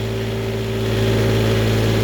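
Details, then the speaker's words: Newly refurbished Onan 7.5/8K RV generator on a stand, load tested before install: heater load stepped from 750 to 1,500 watts (about 10–12 amps at 120V). The drone stays steady with a clean constant pitch and RPM holds firm. Healthy. "First heating element, 750 watts. Now I'm going to do 1,500 watts. Listen to the RPM."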